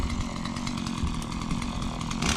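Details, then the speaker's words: Stihl MS 170 chainsaw, lightweight, muffler opened up with extra holes and bent to breathe better, running: crisp steady high-revving buzz, no bogging or sputtering, runs well. "It's a very lightweight saw. Runs real good as you can hear it."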